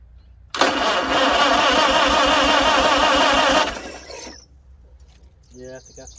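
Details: 1955 Farmall 300 Row Crop tractor after carburetor rebuild with new float, needle possibly sticking: catches quickly, runs loud even busy clatter, then settles lower; starts and runs normally.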